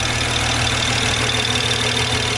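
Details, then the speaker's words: BMW 135i idling smoothly and evenly with no stumbles after the cylinder 5 misfire fix; no codes, no check engine light, no misfire for now. Normal idle. "so it's not misfiring it doesn't have any codes either no check engine and it feels fine like it's not misfiring like it was when I did the poll"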